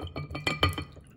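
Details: Happy & Polly ceramic cactus cat water fountain, arrived cracked top and bottom, pump turned down: quick uneven ceramic-on-ceramic clinking over trickling water because the loose pieces do not fit together; splashes as well.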